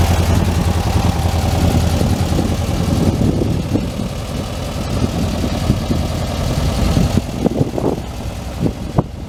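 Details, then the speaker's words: 1967 Volkswagen Karmann Ghia convertible air-cooled flat-four, first start after oil cooler leak repaired: steady, slightly lumpy idle; no oil leaks, runs fine. "[Music] all right well no oil leaks it runs and drives just fine runs just fine"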